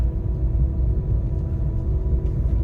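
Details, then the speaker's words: Car after fitting R14 wheels, tested for a mysterious droning with AC on over rough tarmac, up to 80 km/h peaking 81 dB: only steady low tyre rumble, no droning hum building with speed; normal tire road noise. "dan tertinggi 81 DB di kecepatan 80 ya terus suara dengung tidak saya temukan ya"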